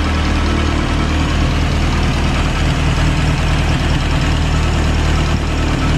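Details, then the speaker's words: 1930s Morris 8 Series 1 engine idling with choke pushed in a bit, oil pressure good despite old oil, moisture burning off manifold; deep even low idle, steady firing pulses, no knock or miss, a sweet-sounding engine; normal idle. "i think we put the choke in a bit now sounding all right it's a pretty sweet sounding engine if i'm honest"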